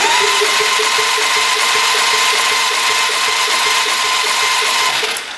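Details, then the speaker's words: 1997 Polaris Magnum 425 6x6 ATV compression test, throttle open, gauge expected 50–80 psi but reads zero PSI; starter whirs freely with no compression strokes; needle bouncing suggests a bent valve to the owner. No compression. "go yeah that's not good that would be zero PSI"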